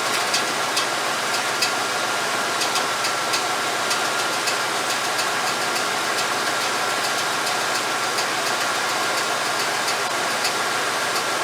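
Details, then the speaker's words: 1989 Chevy K5 Blazer, GM TBI engine, after setting base timing and reconnecting the ECM advance connector (an estimated 16-18 degrees advance at idle): even, steady idle with light regular ticking, no surging; quieter, started nicely instead of sluggishly. "But you can see the engine's quieter. You can see the way it started up. It started up nice the way it's supposed to."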